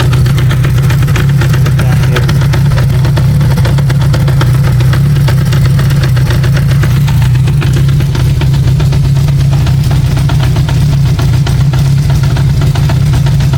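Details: Honda CB550K at steady idle with a fast, even metallic rattle over the engine note; knocking source unclear, owner suspects primary chain, cam chain or crank bearing.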